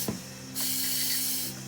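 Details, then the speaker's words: Audi RS4 intake pressurized with shop air through a smoke-test insert, no gauges: a loud, steady high-pitched hiss of air escaping from a split in the turbo boost hose, a boost leak. "we have a boost leak right here in the hose"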